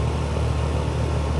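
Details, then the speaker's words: Home AC condensing unit just after a compressor replacement on a system with acid contamination, first power-on at the breaker: steady, even low hum with no rattles, knocks or squeals. The compressor sounds normal; the sight glass is still flashing during the charge. "I'mma turn it on. Yep. Sound good."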